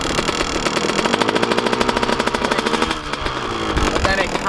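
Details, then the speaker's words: Kawasaki KX125 two-stroke at idle after riding sessions: sharp, regular ticking about four to five a second over a rattly idle, partly gone when revved; top-end noise of unknown cause, owner plans a teardown. "all right quick little clean fire this thing up and let you guys actually hear what's going on here but it definitely doesn't sound too healthy"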